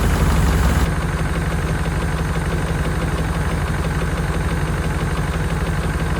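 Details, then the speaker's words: 1992 Chevrolet Caprice wagon V8 parts car, sat in a field, thought seized, running after storage. Dull light knock about three per second at idle; owner places it at front of engine, number two rocker side fine, number eight a bit noisy; unconfirmed. "a definitely in the front of the engine H the number two rocker arms side sounds pretty good number eight sounds a little kny too"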